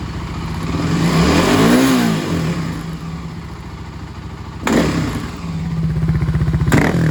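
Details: Warmed-up Kawasaki KLX250S with 351 big bore, stock pilot jet: thumping single idles, then a sharp crackling burst when the throttle is snapped open quickly from idle.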